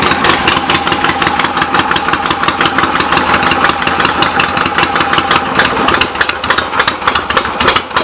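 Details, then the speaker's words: 1975 Harley XLH Ironhead Sportster V-twin after fixes and new intake gaskets, just started, not fully warm, on the enricher: loose lumpy fast cold idle firing steadily without misses; runs good with real good compression, carb needs slight adjustment. "runs good got real good compression if I can burn that enricher off all the way and give a little gas still not quite warmed up"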